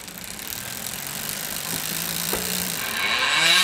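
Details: Chris King ISO disc stainless 150x12mm rear hub with a 9-speed Shimano XTR M970 cassette and SRAM X0 derailleur, newly broken in after about 5 hours or 50 miles: a loud, even high-pitched freewheeling and back-pedaling buzz. Healthy freehub.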